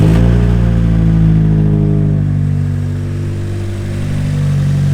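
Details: Nissan S14 petrol engine revving after a new filter was fitted: uneven, stumbling beat as the rhythm breaks up, still misfiring.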